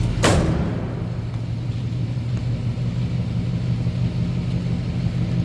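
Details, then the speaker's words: 1954 Oldsmobile 88 Holiday with a 4-barrel V8, heard from the rear at the tailpipe at idle: a deep, even low rumble with steady firing and no misses or popping. It is a quiet stock exhaust and a normal idle. "quiet, no crazy exhaust, anything over the top there."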